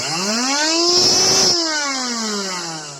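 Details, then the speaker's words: Redmond RV-UR363 vacuum cleaner used without its filter, debris sucked into motor: high hissy suction whine with rough rumbling from the partly cleaned, still-clogged, unbalanced impeller; loss of suction power, loud hum. "звук еще не хороший будем чистить основательно"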